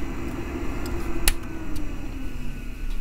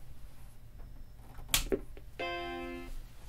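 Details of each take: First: 1989 Macintosh SE/30 with its failing power supply, before replacement: low hum with a faint buzz and an odd click. The screen does not come on or only partially does, and the 5 V rail at the floppy connector fluctuates. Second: 1989 Macintosh SE/30 (32 MB RAM) at first power-on after replacing the power supply with a Seasonic unit: a click, then one clean sustained startup chord, and the screen comes on normally.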